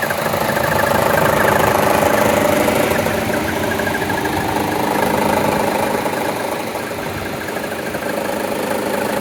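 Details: 2014 Chevy Cruze 1.4T, 71k miles, no DTCs, vacuum diaphragm and check valve intact: idle with an uneven shuddering pulse about three times a second when the AC loads the engine; rough idle, cause not found.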